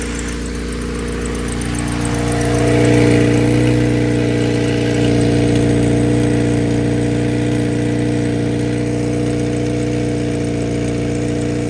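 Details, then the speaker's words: Acura RSX Type-S at idle with leaking exhaust header; loud even puffing pulse in the engine bay, most exhaust escaping at the header rather than reaching the back. Exhaust header leak. "but most of the exhaust fumes are leaking out of the header up here they not even making it to the back"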